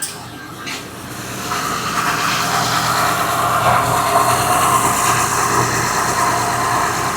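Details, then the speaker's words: 2005 Honda Pilot idling after alternator replacement and a 70.5 in belt bypassing the noisy AC compressor hub bearing: steady, even hum with no whine or squeal; alternator whine and AC noise gone, belt drive sounds healthy. "No more noise from the alternator."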